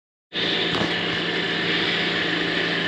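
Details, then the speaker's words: B&G circulator pump: steady loud hiss-and-rumble with a gritty edge from start-up; the bearing assembly is worn and noisy after motor mounts and coupler were already replaced days earlier, so bearing assembly and impeller are being replaced. "now the bearing the bearings on the bearing assembly are making a lot of noise so we're going to be replacing that"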